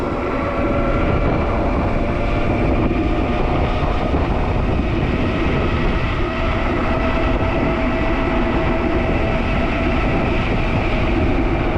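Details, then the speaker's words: Juiced HyperScrambler 2 e-bike after repair, full throttle at about 33 mph: steady, even hub motor hum under wind and road rush, no rising whine and no earlier clutch whining sound. Normal hub motor at top speed. "I'm gonna go top speed and you can hear that sound never comes that weird I don't know if you're able to hear it but I'll mention it when I would hear it and it's just it's just quieter everything's a little bit quieter now"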